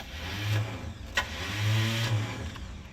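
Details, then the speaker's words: 1974 Chevrolet C10 truck in the driveway with a long-troubled, failing starter. A short free whirring spin with a low hum and no cranking beat, "Spinning. It's not engaging." The starter pinion is not engaging the flywheel. "Spinning. It's not engaging."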